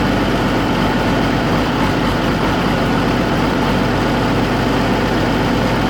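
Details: Oliver 1600 diesel tractor, over 1,100 hours, valves already adjusted: fine at idle and PTO speed but coughing, spitting and uneven through the middle rpm range; owner suspects the injection pump because it is intermittent.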